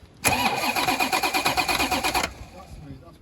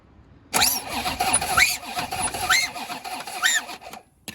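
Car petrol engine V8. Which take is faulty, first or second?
second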